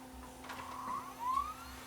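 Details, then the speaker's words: Sanyo VHR-H600 VHS VCR: drum spins up and motor whirs up and down in pitch while the front loader tries but never completes loading; suspected mechanism timing or mode switch problem; tape fails to load. "here the motors you hear the drum spinning up and I can see the front loader trying to move but the front loader is is back aways"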